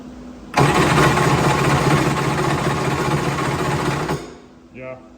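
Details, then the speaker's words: Polaris SL750 jetski compression test: about 3.5 s of even cranking near four beats per second; this cylinder reads about 125 PSI, good, while another read 100 PSI and may need work. "so that cylinder's got about 125 which is way more of what we'd be looking for that's great"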